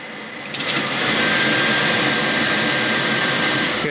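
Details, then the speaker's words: Race truck with Vintage Air A/C unit, final Raychem wiring done: blower rushes up to a steady roar with a faint high whine, relays click at the end; A/C working properly. "i can really start uh zip tying that stuff down and it's not coming out again that's it done ac works"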